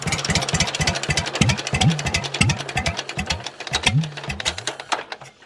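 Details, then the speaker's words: 83-year-old John Deere B, seized 20 years and freed, hand-cranked start with fuel on and belt off; slow even putt-putt about four firm pops a second, slowing toward the end; twin fires cleanly, engine judged not in bad shape. "that makes me pretty happy because if it can start by hand by me doing this the engine's not in that bad a shape"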